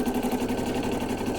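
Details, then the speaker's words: Brother 800e embroidery machine stitching a gnome hat at full speed, slowing itself for difficult bits and corners: a fast, even, helicopter-like chatter with no grinding or catching. Normal operation. "But now you can see the machine is now operating at full speed. It will slow down on its own and speed up to deal with difficult bits or corners. Hopefully you can hear me because it's quite noisy. I always think it sounds like a helicopter."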